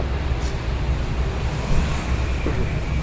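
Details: Nissan Teana that shakes on start and won't accelerate: petrol engine idles with a deep, uneven, wavering rumble; scan showed no fault codes, cause still being checked.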